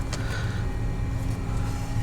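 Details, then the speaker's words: 2008 Mercedes CLK350 M272 V6, water-damaged, previously locked engine soaked with penetrating fluid; even cranking drone without firing during compression test, gauge near zero on one cylinder, gauge accuracy doubted; low compression. "regardless we're gonna attempt to start the car maybe one on five or four cylinders it's gonna be at least entertaining entertaining"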